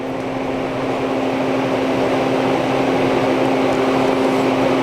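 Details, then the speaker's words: Marley MUH35C Qmark 240 V electric heater on Nest thermostat after rewiring, blower starting once element reaches temperature: steady, even fan hum, constant low tone, no rubbing or ticking; blower running normally. "when it reaches temperature the blower should come on and here's the blower with our heat"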